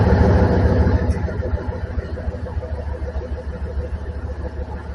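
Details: 2003 Dodge 2500 Hemi V8 first start after serpentine belt replacement: catches with a deep burst, then settles to an even steady low idle with a regular beat and no odd noises; belt swap successful.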